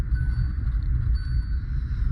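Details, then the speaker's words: 2021 Hyundai Venue, 25,000 km, after replacing the steering rack assembly: steady low rumble, no knocks or grinding; earlier noise came from water entering the rack and washing out lubrication. "ஃிரண்ட்ஸ் வெண்ணில வந்து பாத்தீங்கன்னா steering box நான் change பண்ணதுக்கு அப்புறம் பாருங்க சுத்தமா noise இல்ல."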